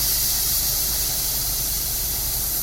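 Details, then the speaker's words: Sprinkler zone blowout with compressed air through the timer zone, no manifold found: steady loud air hiss with rough sputtering edge; first and second heads empty, the farthest third head still holds water. "you see number one and number two already stopped empty but number third still has the other water"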